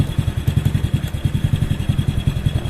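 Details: Honda Supra Fit motorcycle after fixing a leaking, flooding carburetor and setting it with a tool: small single thumping at a steady, even idle about eight to nine beats a second, no stumbles; no longer stalling.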